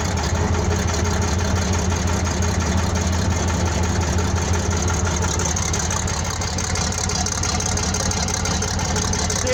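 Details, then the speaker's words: 1970 military Case 1150 bulldozer diesel, 52 years old, original 1385 hours: deep, steady diesel rumble at idle holding an even beat, no knocks or misses; idling healthily. "So, start the old girl up. She sounds good."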